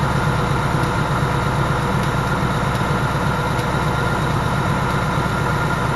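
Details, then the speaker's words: Vehicle at 12,000 miles, just after its second oil change: steady deep V8 idle with a faint, uneven light tapping that the owner calls pretty bad; cause not identified, and the owner will probably do another oil change in about 3,000 miles. "so it's it's tapping away right now like it's pretty bad"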